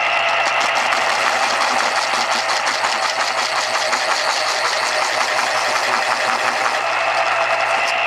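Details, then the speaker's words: 1980s Panasonic KP-110 auto-stop pencil sharpener, after motor lubrication and a one-minute run-in, sharpening a new Dixon Ticonderoga pencil: smooth steady whir with even cutter grinding, auto-stopping; normal sharpening after repair. "go nice Auto Stop nicely freshly sharpened best pencil in the world"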